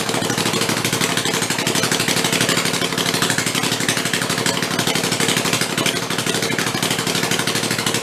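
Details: Rebuilt Kohler Command 20 hp engine, revived after a thrown rod and flood damage, 150 psi compression, refueled and run on the bench: steady, even idle with busy mechanical chatter on top, runs without faltering; normal running.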